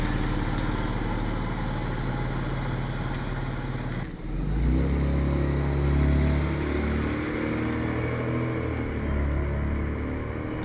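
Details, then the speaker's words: 105 Series Land Cruiser under light acceleration after a swivel hub rebuild and new passenger-side front wheel bearings (old ones worn out and apparently ungreased): steady engine and road rumble with no grinding or rubbing. Bearings healthy. "Brand new wheel bearings in the passenger side, they were pretty clapped out, so it's good to be able to do that at the same time as the swivel hubs. Just sounds so much better as well."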